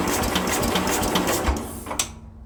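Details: Speedex model 1630 garden tractor engine, new carburetor fitted, linkages not hooked up; previously had spark and popped on fuel in cylinder. Starter chugs evenly about two seconds, engine cranks but won't fire; owner unsure why, plans to pull the head.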